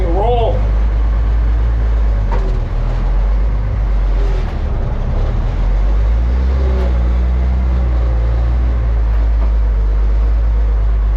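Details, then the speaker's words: M35A2 military diesel truck after sitting long, started on fifth try with ether: deep steady rumble at even idle, no misses or knocks; seems to run pretty good, drives itself; normal running. "roll seems to run pretty good awesome"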